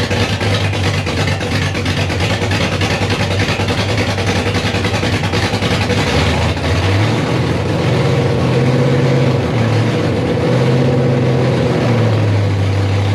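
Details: Rebuilt 5.3 V8 in a 260Z at first start, fuel leaks fixed, coolant in, 80 psi oil pressure: idle rises and sags in uneven waves with exhaust pops, a heavy lope the owner suspects keeps it from idling; misfire, cause unconfirmed.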